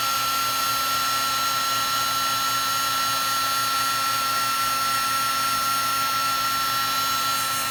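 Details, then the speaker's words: Heat gun used for heat-shrinking wiring on a Honda Monkey Yoshimura fender eliminator install: steady high whirr with a faint gritty grinding rasp; owner thinks the fan is rubbing. "I think it's the fan. The fan's rubbing."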